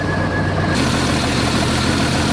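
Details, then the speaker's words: 1990 Jeep Cherokee XJ Renix 4.0 engine after the flex plate fix for a bad knock: steady, even idle with a smooth low hum and no knocking. "well that is a relief isn't it that engine is sounding a hell of a lot better than it did when I first started the vehicle up"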